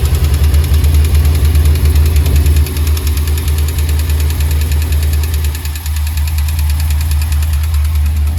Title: GMC Sierra engine knock!!